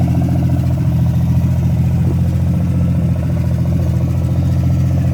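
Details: Freshly revived petrol engine's first start-up, idling through open extractors: steady lumpy idle with an occasional uneven pop; misfire blamed on a bad distributor cap and rotor button due for replacement.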